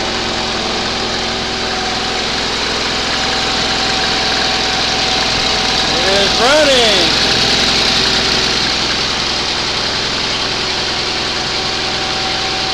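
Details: 20 HP Onan engine running for the first time after a rebuild, started on the second attempt after a spark check; steady, even run with a constant drone, no knocks or misses. Normal running.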